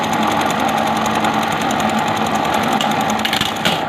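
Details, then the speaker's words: Buttonhole (kaaj) machine after cutter setting fix for cutter sticking/not returning up, slow speed: fast steady needle chatter with brief light cutter snap; cutter now engages smoothly, normal operation. "आप cutter की आवाज़ check कीजिएगा कि पहले जैसी है या कम हुई है, ठीक है। ये देखें, अब कटर भी बहुत आराम के साथ लग रहा है।"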